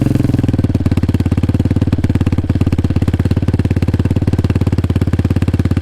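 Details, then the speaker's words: Hyosung Hawk DLX 250cc single on stock exhaust, cold start, idling a little high; raspy, uneven popping like an open can from a cracked front pipe (cracked a second time after welding) and a muffler coming apart inside. "the inside of the muffler is actually coming apart. It's just time to move on for it, folks. It doesn't sound good, like an open fart can, basically."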